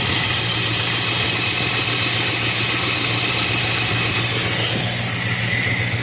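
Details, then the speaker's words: 1969 Dodge Dart, fuel pump no longer leaking with steady fuel flow, warm day, no choke: steady, even idle with smooth exhaust beat and hissy background, no miss or knock; healthy. "So that's a good thing. Nice healthy exhaust note there."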